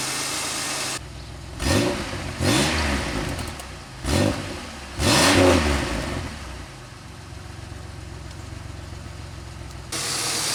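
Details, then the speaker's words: 2003 Pontiac Grand Am after the intake gasket job and the misfire repair, warm, having run for a while: the engine blips up cleanly several times and settles back to a steady idle with no misses; the check-engine light has not returned. "Alright, so it's been on for a while. I've been giving it revs and stuff. Light still hasn't come back."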